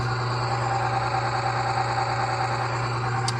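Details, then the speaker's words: Oil additive load tester running on oil treated with UHP Innovation HP shot: steady low hum with even tone and no grinding or squeal while loaded; oil film holding, runs smoothly with little damage taking place. "You can hear it, how smooth it is. And you can just hear that not a ton of damage is taking place,"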